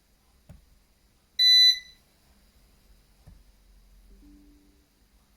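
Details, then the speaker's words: Eaton 5E 850i UPS (850VA/480W) under low router load, powered on again after shutting off on battery: one sharp high-pitched beep about a third of a second in a quiet room, on-battery warning. "okay so it's on again let's wait for this thing to update it will take a bit yeah and again you can hear the beeping"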